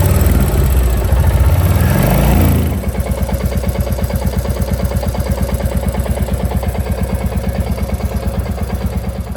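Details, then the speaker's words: Royal Enfield Classic Reborn 350 J-series BS6 single, fully hot after 15 km: steady, slightly uneven clatter about three a second over the thump at idle. Combustion clatter when hot, attributed to the engine running hot and lean. "so at that temperature you feel the clatter"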